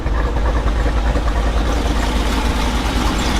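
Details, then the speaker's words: 2022 Jeep Wrangler Rubicon 392 V8, 2,000 miles, aftermarket cam, ported and polished big-valve heads, new ECU with base map, heard walking to rear: deep choppy idle with uneven big-cam lope, steady without stumbling; healthy cammed idle. "So got the ECU in, got the smart access cable in, got a base map in, it's idling pretty good. Chopping down the block."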